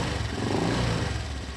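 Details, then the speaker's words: 2019 Honda Vario 125 engine: low, coarse growl that swells and fades when revved; radiator cover probably not the cause, engine-to-radiator cover suspected; rough growling engine noise. "Ya, itu kalau kita hidupkan seperti ini suaranya. Tetap ngorok, walaupun saya pegang tetap ngorok ya, ketika digeber-geber tetap ngorok, tetap kasar."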